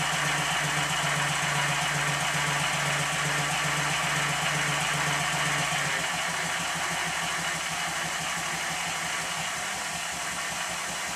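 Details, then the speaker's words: Minnie-type model traction engine, previously fired boiler, test-run on compressed air despite excessive crankshaft side play (connecting rod stops crank web hitting bulkhead) still to fix: even beat about four per second, light steady gear rattle; runs very well, normal. "however even in this state it runs very well I'll stop talking again so you can have a listen"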